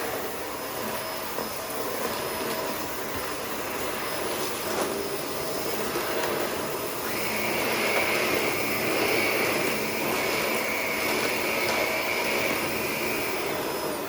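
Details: Shark Rotator NV520 vacuum on hard floor, brush roll off, sweeping up spread-out debris with empty bin and tapped-out filters: thin, steady high-pitched motor whine that rises partway through; filter found completely clogged afterwards.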